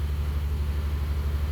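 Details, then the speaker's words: 1954 Nash Airflyte, cold morning start after the headlights were left on overnight, choke on exhaust heat, held on the gas after slight flooding: steady deep rumble with an even low beat at a fast cold idle, running smoothly. "I got to keep her running. I got my foot on the gas, otherwise it's not going to idle."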